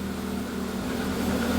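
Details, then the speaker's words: Proton Wira being returned to the road after 12 years, fuel pump spaced off the tank bottom with a thicker gasket: short, steady low idle hum with no whine; fuel pump quiet, engine sounds fine. "Bit better, isn't it? I certainly can't hear that."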